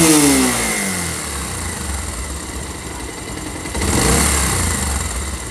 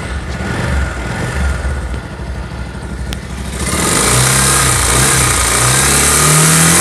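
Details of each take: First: Pulsar motorcycle engine: revs drop back smoothly to a steady idle, then a clean blip, no rattle or knock; normal idle. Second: Pulsar motorcycle engine, revving from rough idle: revs rise with a harsh, rattly roar underneath; abnormal internal engine noise, cause unclear.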